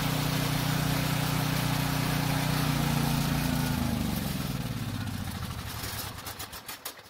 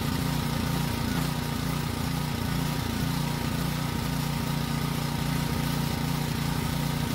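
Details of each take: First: Generator with fresh gas in the tank: it runs fine on full choke but sputters and dies as soon as the choke is partly opened, pointing to a carburetor problem. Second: Generator that previously ran only on choke, carrying a light load; small engine holds a steady, even drone with no surging or stumbling, running normally under load.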